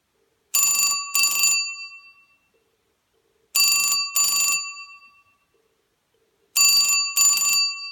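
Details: 1974 Western Electric Bell System rotary Trimline desk telephone, ringer on loud setting: loud, shrill double ring repeating every three seconds with clean decay and silence between; normal bell ringing.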